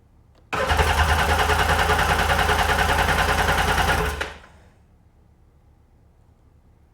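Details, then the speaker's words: Sea-Doo GTX DI Millennium Edition 951 DI, rebuilt engine that won't start, fuel pressure gauge reading very low: steady starter churn about three turns a second for about three and a half seconds, no fire at all; cranks but no start. "Nothing. Very low pressure. What does that mean? I don't know."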